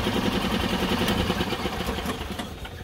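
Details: A Yamaha golf cart that would not start fires when its wiring is wiggled and settles into a steady putter without misfiring. The cause was found to be the negative ground wire broken inside the wire loom.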